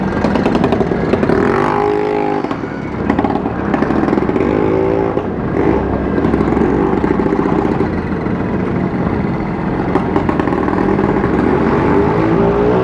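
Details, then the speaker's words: Vespa riding in traffic: raspy, loud crackle rising and falling with throttle, far noisier than stock. Rider suspects the exhaust is broken at the neck. Cause not confirmed. "Yoi, bener-bener nih suaranya berisik ini punya Mas Ipul ini. Kenaponya lepas ini kalau gak salah ya, patah itu kenaponya di bagian leher, kenaponya kayaknya patah kalau nggak salah."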